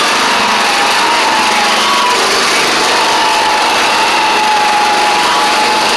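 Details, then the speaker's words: Craftsman DYT4000 riding mower running after a suspected faulty seat safety switch: steady high engine drone with a thin squeal near 1 kHz on top; owner suspects dry pulleys, perhaps needing WD40, cause unconfirmed. "I don't know why it's doing that but not exactly sure could just be these pulley having issues maybe spray a little WD40 on them and get them a little quiet maybe quiet them down"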